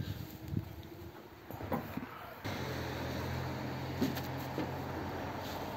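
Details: Model A roadster's engine with Holley 2100 carbs, primed with fuel after a year under a tarp: quiet, then a steady low starter whir from about two seconds in, but the engine never catches; owner suspects corroded points.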